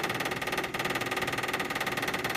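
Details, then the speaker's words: Toyota/Lexus hybrid brake bleed: actuator pump runs with fast even clatter over a steady high whir until the bleeder screw is closed, then the clacking and the pump stop; normal operation. "now I'm going to close off the bleeder screw and you'll hear the clacking stop and then the pump stops running"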